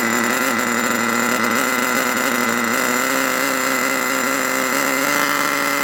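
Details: HotBodies 3.5 nitro engine in HPI Savage 21 RC truck: loud steady high-pitched buzz that never settles; idling too fast and noisy, idle screw turned out to bring it down.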